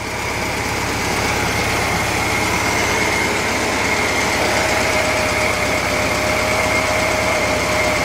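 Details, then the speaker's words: Air-cooled 1950s VW engine warming up with old plugs, points and mismatched condenser, valve cover leaking slightly: steady even idle, quiet working generator, good muffler with no exhaust leaks; normal idle. "Generator sounds good, it's quiet, you know it works. Muffler's nice, don't really have any exhaust leaks on it."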